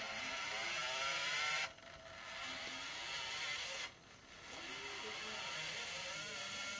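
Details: PlayStation 1 disc drive: high, harsh scraping whir, cutting out twice as it struggles, preventing the CD from reading and freezing the console; grinding, cause unclear.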